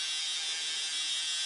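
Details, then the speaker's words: Roco HOe narrow-gauge starter set 31034 locomotive running around the track, brand new out of the box: steady thin high-pitched whir, much louder than it should be; it runs fine but very noisily and starts with a jolt. "it might not sound healthy this is how it comes out of the box people this is honestly how it comes out of the box with making this much noise it does run when it runs it runs fine but it runs very noisily"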